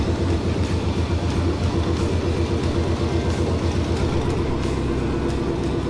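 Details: Corvair with LS V8 swap on open manifolds after the first start; first start had been delayed by an unplugged wire. Loud, deep rumble with a steady pulse of about four per second, no misses or stalls: running normally.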